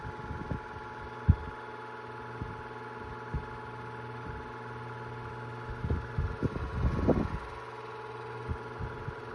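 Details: 2002 Cool Breeze 12-inch oscillating desk fan after 20 years of heavy use: completely worn motor bearings give loud squealing and a steady whine over a low hum, with irregular knocks and rattles.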